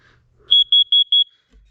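Four quick, shrill, evenly spaced beeps from the test button; the CO alarm is sounding properly and working fine.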